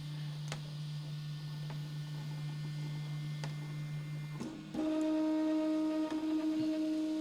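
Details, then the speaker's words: Prusa i3 Mk2 3D printer homing its axes during a firmware update: steady motor hum rising in pitch with a faint rough rasp from the Z-axis linear bearings, which were not upgraded with the others. "and you can hear I'm sure you can hear that the uh the z-axis bearings making a little bit of noise still"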